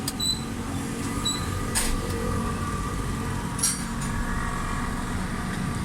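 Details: Honda Civic Reborn petrol engine idling after tappet and tuning work: smooth, steady low rumble with no top-end ticking; normal, healthy idle.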